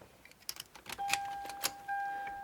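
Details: 2004 Lexus LX470 power telescoping steering column, dash apart: thin steady ~800 Hz motor whine with light clicks; motor spins but column doesn't move because the screw-gear nut isn't clamped; fix is repositioning it.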